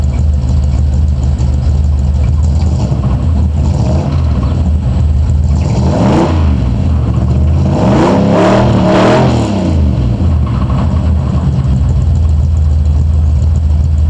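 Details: 1986 Camaro IROC V8 idling and blipped twice: low knocking under the rumble that quickens as revs rise; owner suspects rod knock, not confirmed.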